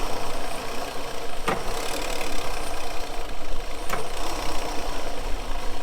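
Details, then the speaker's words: Starboard boat engine idling roughly with an uneven, stumbling beat from a misfire; the RPM drops sharply when the shift cutoff switch drops a cylinder while shifting; cause still being investigated. "All right, so it looks like we've got a pretty good misfire on our starboard engine over here."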